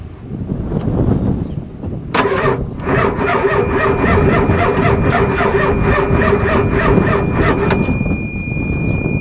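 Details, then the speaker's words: Ford 7.3L IDI diesel 1-ton dually, parked three years, cranked on a jump pack: starter grinds over slowly and unevenly with a thin whine for several seconds, never fires. Jump pack suspected too weak, not confirmed. Slow crank, no start. "Um, as far as I'm concerned, this Harbor Freight jump pack, it's just not what it says it is. Oh well, we tried. You know how it goes. This thing's probably way down."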